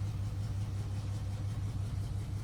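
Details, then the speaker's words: Cateye truck after the new muffler is installed gives a low, even idle burble with no rasp, drone or rattling. The exhaust is pretty much quiet and healthy. "Check it out. Pretty much quiet."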